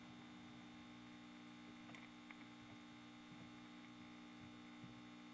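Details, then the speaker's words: Kerenola Trav-Ler AM tube radio, filter capacitor experiments: steady low mains hum unchanged; raising capacitance from 66 to 76 µF gives no change, 22 µF was worse, 47 µF pretty good. "there's no change so taking taking it up from 66 doesn't help i had it at 22 the home was worse i had it at 47 and it was pretty good"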